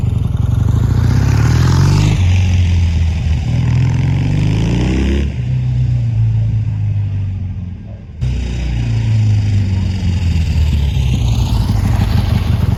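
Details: Triumph T140 twin after new carbs fitted and an intake air leak sealed with extra clamps: deep even throb rises and falls cleanly with each throttle blip and settles back without stumbling. Running normally.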